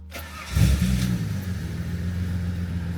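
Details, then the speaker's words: Supercharged Holden VX Calais, previously misfiring, after full service and refitting spark plug leads: cranks and catches quickly, flares, then settles into smooth even idle with no stumble or misfire. "Seems to be running fine. See if it sounds like it's misfiring. Sounds fine to me."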